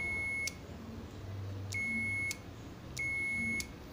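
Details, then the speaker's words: Microwave oven relay bench test with 9 V applied to the coil: three clean high continuity-tester beeps, about a second each, with a faint relay click, as the contacts close properly. "incluso no sé si todavía alcanzan a escuchar o bueno si se escucha lo que es el clic del relevador cuando entra"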